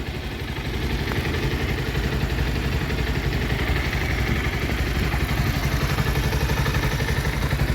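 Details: Bajaj Pulsar 150 after clutch/scissor gear balancer repair: steady even low idle thump with no knocking or gear rattle; noise resolved.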